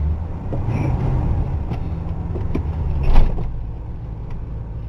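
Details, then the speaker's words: Ford LTD idling after being primed and warmed up: low, even burble with a soft exhaust note and no knocks or stumbles; much quieter than earlier, when the exhaust was loud. "there we go take it over to the car walk washing area yep dirty Pig's going to get a wash job much much quieter though"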